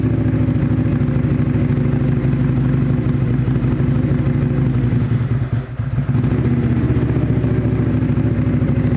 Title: Outlander rough idle at cold start